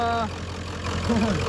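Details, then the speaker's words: 1996 Ford F-250 7.3L diesel, completely cold after sitting overnight, started after glow plug relay (stuck closed) disconnected: deep, steady idle with even low rumble, no misses or knocks; normal cold idle, glow plugs apparently survived. "Again, the engine's completely cold after sitting last night, so we'll fire it up and let it run for a second."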